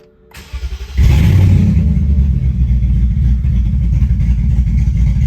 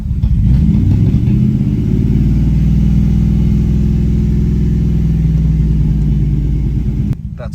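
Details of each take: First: Car running with no exhaust after headers and cats, open-pipe and loud: rough, uneven idle with stumbles and check engine light on, still randomly misfiring; cause not yet found, possible sticking lifter suspected. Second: BMW V8 after clearing random misfire codes, running with no exhaust fitted: low, even burble at just over 500 rpm idle, steady beat with no skips or stumbles; idling smoothly on all eight cylinders.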